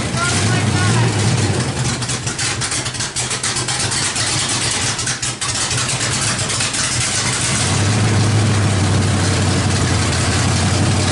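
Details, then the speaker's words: 350 V8 with a big cam, run on an open header without exhaust and with fresh valve adjustment: loud, choppy, lumpy idle that is steady and even. Sounds good but probably needs the timing set slightly. "that sounds bitching uh probably going to need to set the timing just a little bit"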